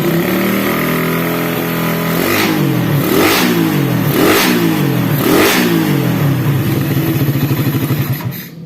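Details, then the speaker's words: Suzuki Satria FU engine with valve clearance 0.20 intake and 0.30 exhaust, started on the starter, revs sharply to high speed and drops back cleanly to steady idle; strong, crisp, healthy, smooth running. "Oke Guys dan suara mesinnya seperti ini ya masih tetap halus meskipun Celah klebnya 0,20 yang in dan 0,30 yang X"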